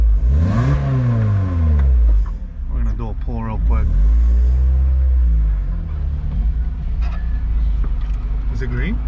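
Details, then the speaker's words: Lotus Elise after fixing a noise that made it sound ugly and loud: engine pulls cleanly through the revs with a smooth rising note and no rasp or drone; exhaust now healthy and subdued. "hell yeah much better you can actually hear the vitae crack now yeah that's just sounded ugly before"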